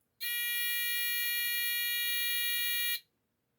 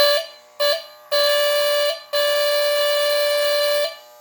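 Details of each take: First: Cheap piezo replacement buzzer for a postwar Lionel diesel locomotive horn, tested on a 1.5V D battery: thin, feeble, steady high-pitched beep for about three seconds that would be lost under the E-unit and horn-relay buzz. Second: Postwar Lionel 2350 diesel locomotive on the test track, original mechanical buzzer replaced with a new buzzer, shell back on, powered by KW transformer: clean steady buzzing horn blasts, two short then two longer; working horn buzzer.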